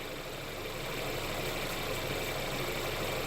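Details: Mercedes CLA idling after a DIY oil change with Mobil 1 0W-40 and an OEM Mercedes filter. Quiet, even idle hum with no knocking or ticking over the hiss. No filter leaks were found; the engine sounds fine.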